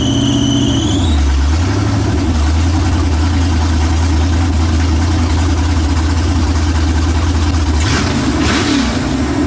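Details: New LS 383 V8 in Deathwish on break-in oil, first fire-up: revs briefly, then a lumpy, uneven idle with a wandering low beat. Rough idle; running "pig rich" and untuned, with the tune not even remotely close.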